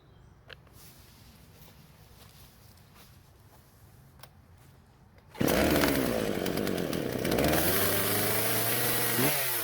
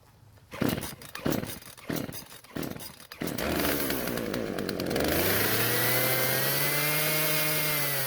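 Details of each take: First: Husqvarna chainsaw that wouldn't start, both carb screws turned out slightly to richen; quiet start, then fires, revs and settles back without stalling; now idles normally. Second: Husqvarna chainsaw that wouldn't start, after a new carburetor metering diaphragm; choke turned off while running. Rough pull-start bursts, then it races at high revs and won't idle. The low-speed mixture needs adjusting: L screw about half a turn counterclockwise.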